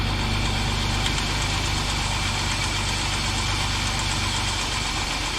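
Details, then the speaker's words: 2007 Jeep Wrangler 3.8L, about 300,000 miles, after replacing rocker arm shafts with used parts to cure a random tick: brief clatter at first start from oil-empty shafts, then steady even idle with no ticking; normal idle. "But it's sounding good, running good."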